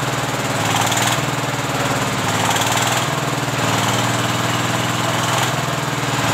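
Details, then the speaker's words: Single-cylinder S-1100 16 HP diesel during testing after service for hard revving, uneven sound and stalling; steady, even thumping with no misses or surging, now stable and strong. "sudah memasuki tahap pengujian dan suaranya sudah mulai stabil dan bertenaga."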